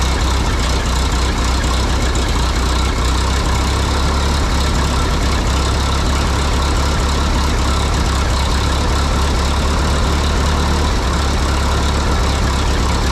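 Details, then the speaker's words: 1952 Harry Ferguson TO20 tractor after a carburetor rebuild: low, uneven idle with a lumpy skipping beat; number two cylinder dead from a spark plug fouled by the poor-running carb, its exhaust manifold about 120°, cooler than the others. "well that's a little embarrassing apparently our poor running carburetor uh caused a f plug the foul so the number two cylinder it it was sputtering and spitting and it just was down on Power and um sounded like it missing"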